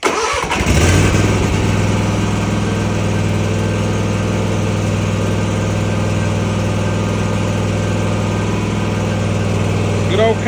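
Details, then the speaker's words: Kawasaki-engined mower after sitting a month, started with choke up and throttle halfway: catches after a brief crank and settles into a steady, even low idle with no misses or knocks. Healthy. "Kawasaki yeah that was pretty good for setting for a month not going to complain about that"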